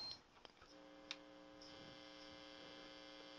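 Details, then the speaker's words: Lafayette guitar amplifier after restoration, with the electrolytic capacitors in its voltage-doubler power supply replaced. Only a faint steady mains hum as the controls turn, with no crackle or scratching at all. The pots are now clean and the amp is quiet. "Okay, it's all done. No scratching at all."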